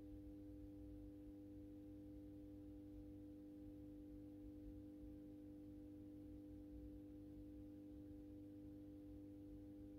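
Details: AEG Minikoffer West German post-top mercury vapor streetlight with its mercury ballast, apparently starting a 110 W Penning-mixture sodium bulb that strikes on mercury gear without an igniter. Steady low hum at a constant pitch, no buzzing or rattle, as the lamp warms: iron-core ballast, normal.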